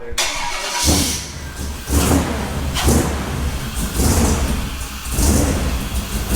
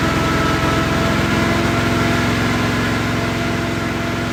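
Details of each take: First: Off-road wrecker V8, cold (about 125°F water) on a stopgap exhaust, warming toward closed loop: rough, lumpy idle surging about once a second, never settling; misfire from an erratic RPM signal. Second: Off-road wrecker engine, cold engine on stopgap exhaust, no load, held at raised rpm during first warm-up; steady even drone with regular firing beat, no misses or knocks; headers reading 400–500, all cylinders firing; normal running.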